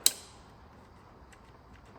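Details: 1989 Sambron D2000 telehandler after a night fire blamed on a wiring fault, on a jump pack: one sharp click, then only faint ticking and no cranking; starter clicks but doesn't turn the engine over. Cause suspected, not confirmed.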